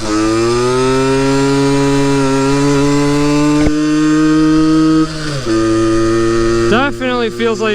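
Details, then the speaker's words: Yamaha RX50 50cc two-stroke barn find on top speed run climbing hills, after leaning a too-rich mixture: buzzy note climbs smoothly, dips at a shift, pulls cleanly again; more power, running strong and clean. "running better now definitely more power oh yeah it was definitely too rich"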